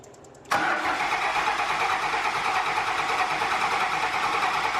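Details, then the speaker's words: 2004.5 Cummins diesel pickup after installing Flux 130 HP injectors (10mm+S400): engine catches at once and settles into a steady, even, healthy idle with no misses or knocks. "Good. Sounds healthy."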